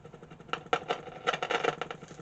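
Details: 1947 Invicta 200 valve superhet radio motorboating: irregular putt-putt bursts in the mid range in quick clusters; source still unknown.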